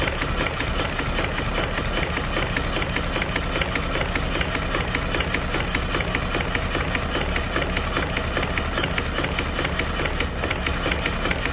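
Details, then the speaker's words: Stuart triple expansion model steam engine on live steam, run outdoors because the workshop is cold; busy even chuffing with pump clicks about two or three a second from the vacuum and water pumps. "The strange clicking noises that you can hear are from the vacuum pump and the water pump. it seems to run quite well, but it does need a bit more attention."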